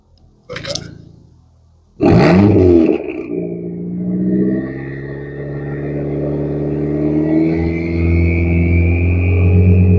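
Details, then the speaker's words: 580hp big-turbo nitrous Dodge SRT-4 started after sitting abandoned for years on bad fuel, wideband reading erratic: deep steady idle with a clear high turbo whistle heard through the exhaust; normal. "Definitely hear that turbo through the exhaust."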